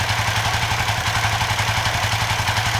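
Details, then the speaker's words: Suzuki FU FI 150 / GSX 150 with tip-over sensor bypassed by a 4K resistor reading 0.8 V (temporary fix): engine catches and settles into steady even single-cylinder idle, no misses or knocks; normal idle. "Nah ini 4K, kita nyalakan, nyala normal"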